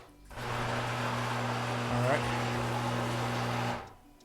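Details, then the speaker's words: Genie 2562 Powerlift screw-drive garage door opener: motor hums steadily with rough grind for a few seconds but door won't lift; coupler checked and fine, stripped carriage assembly, to be replaced. "good so the door is not moving okay so the the door will not lift now i thought this was a broken coupler and it's not i looked at the coupler the coupler is fine"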